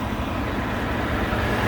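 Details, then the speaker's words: 2019 Ford F150 XLT V8 running on E85, engine bay with hood open: steady, low, even idle rumble with no knocks, ticks or misses; runs nice and quiet. Normal idle. "And she just runs so nice and quiet."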